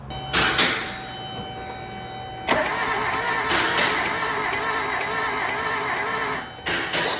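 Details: Suzuki Samurai engine as it arrived, unknown history, battery at 13.1 V, cranked with a starter button: about four seconds of odd, dragging cranking from water in the engine. Rockers move, heavy smoke and blowby follow.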